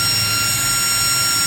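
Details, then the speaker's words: Used Delta Electronics brushless ball-bearing server fan, DC 12V 3.30A rated, at full speed: a loud, steady rush of air with a high, even whine, strong enough to lift itself when held. A healthy fan running flat out. "Ini kencang sekali. Terbang tuh. Kalau kita tahan seperti ini terbang."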